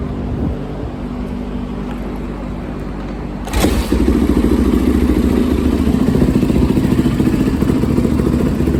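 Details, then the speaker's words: 2004 Yamaha YZ450F single after inspection, valve clearance, timing and carb/jet cleaning tune-up: cranks and catches after a few seconds, then a crisp even thumping run with no misses or knocks; sounds healthy. "Definitely sound good."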